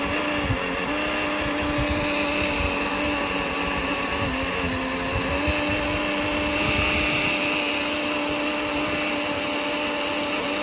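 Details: 2013 Mercedes C250, engine off, near turbo intake: steady high electric whine with uneven hum continuing up to 5 minutes after shutoff; Bosch auxiliary electric water pump suspected, noise stopped when touching pump top.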